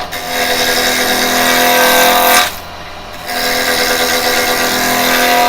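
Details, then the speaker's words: Carbide chisel (Type 3 set) turning plum on an Axminster 1628 lathe: harsh buzzing rattle while cutting that drops out briefly then returns; the tool chatters because a gap has opened and the bevel has lost contact with the wood. "And you can hear the slight noise on there. That's because I've got this gap here now."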